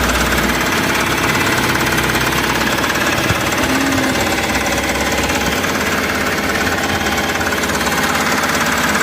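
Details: Mahindra Supro diesel that had code P0341 (camshaft sensor signal error, misfire), started after its wiring was checked and the camshaft position sensor replaced; steady, even clatter with no stumble or missed beats. Normal idle.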